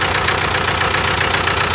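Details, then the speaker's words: 1998 VW TDI diesel, ~500,000 miles, run on 80% waste vegetable oil; rough loud idle with uneven chuff and heavy hiss at the breather. Stuck first piston ring causes compression loss, misfire and blow-by pushing the cap almost off. "You can tell it's just misfiring pretty bad. It's a lot of pressure. Before I didn't have this. Now it's pushing the cap almost off."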